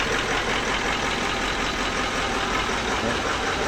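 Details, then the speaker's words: Toyota Land Cruiser V8 1VD-FTV diesel with hard starting, after retiming: starts easily and settles into an even steady idle with clean clatter, no stumbling. "oh ' ba h na mausok yan umaandar naar ni na yan mga paps"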